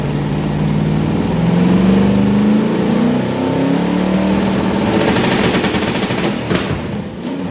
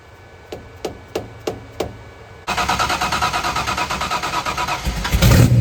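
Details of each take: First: 1990 Lincoln Town Car with 5.0 V8, T-5 manual, GT40 heads, BBK long-tube headers, carburettor, MSD ignition, first fire after build: engine revs and settles with sharp, raspy puffing over the exhaust note. Exhaust leaks suspected all over; a freeze plug also leaks. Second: 1990 Lincoln Town Car 5.0 (lopo shortblock, Holley 650 DP carb just assembled, GT40 heads, Cam Chowder cam, BBK long tubes, MSD ignition) at first fire: slow cranking ticks, then the V8 catches and settles into an even, steady idle; normal idle.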